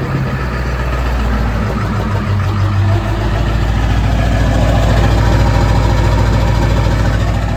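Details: Ford 7.3 Powerstroke diesel truck idles with a steady, even clatter and no skipping. This follows removing the injectors for troubleshooting and re-torquing them; an earlier fuel pump and return spring job hadn't fixed the rough running. It now runs much better; oil flows from front injectors 1, 3, 5 but not 7.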